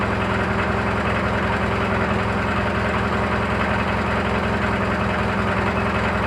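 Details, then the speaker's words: Briggs & Stratton 18 hp opposed twin after air filter change: steady idle with a fast, uneven ticking chatter about two to three a second; cause not yet found. "Hey boys, we gotta take this back apart. I have a chatter and I don't know if it's what's going on."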